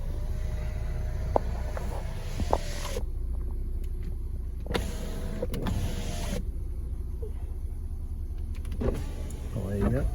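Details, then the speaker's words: BMW Mini Convertible project car, roof check: steady electric motor whine in runs with clicks and clunks as the folding roof moves and latches, normal roof motor operation. "Let's check this roof. Make sure she works all right. She did earlier anyway."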